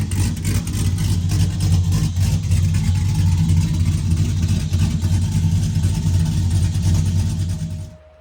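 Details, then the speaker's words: Car with no tune, reassembled after a bell-housing fluid leak, suspected off-center rear cover: loud deep open-exhaust rumble picking up with throttle, running evenly without stumbling; it only needed gas pedal to start. "Has no tune, so we had to give it a little bit of gas pedal to get it going. And once you got it going, it would go."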